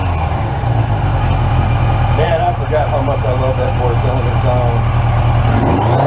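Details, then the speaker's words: 1981 Yamaha XJ750 Seca inline-four, first run in a long time after carburetor work: a deep, steady burble that lifts cleanly near the end with no misfire or rattle. Healthy idle and revving. "well if the neighbors weren't awake before they sure are now man do i love the sound of that bike i've always loved the sound of the inline fours and this one has a certain kind of note"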